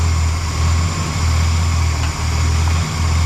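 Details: 1975 Lincoln Continental with rebuilt 460 V8, a couple hundred miles since rebuild, after fixing a misfire caused by a rocker arm not actuating the valve (suspected defective rocker): deep, steady idle, even rumble with only slight dips; running smooth.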